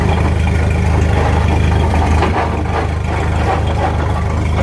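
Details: 1929 Ford Model A pickup on jacks, wheels spinning through the gears: steady low rumble with loose rapid clatter about three beats a second, heard in the transmission, driveshaft or rear end; suspected damaged spider gear in rear, not confirmed.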